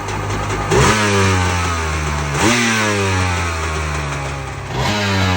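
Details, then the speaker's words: Rebuilt 2000 Kawasaki Ultra 150 jet ski, 1200 slant three-cylinder two-stroke, motor and jet pump rebuilt by marine mechanic, first start after storage: crisp throttle blips over a steady burble, no misfire or rattle; sounds phenomenal, healthy running. "Man, this thing sounds phenomenal, awesome, every word you could think of."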